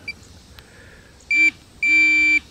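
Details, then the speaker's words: Minelab Pro-Find 40 pinpointer: two clear high beeps, one short then one longer, confirming sensitivity steps as the plus key is pressed toward maximum. "and I'm also now I'm going to step up in the sensitivity by repetitively pushing the plus key to make sure I ain't got this camera"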